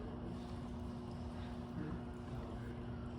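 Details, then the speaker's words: Tormek wet sharpening system running: steady motor hum under uneven sloshing as water slops from the wheel trough, set up incorrectly with a lot of water in the pan. "I didn't set this up quite right, so slopping water."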